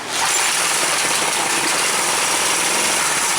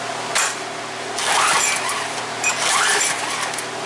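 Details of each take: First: Craftsman pressure washer small engine at about half throttle on choke, run briefly without water: steady roar with no stumble or misses after a carburetor fix for a plugged main jet following winter storage. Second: Craftsman pressure washer that won't start, good spark confirmed, pulled at half throttle with choke: about six rasping rope pulls with no firing; main jet in carburetor bowl likely plugged, shellacked from gas left in all winter.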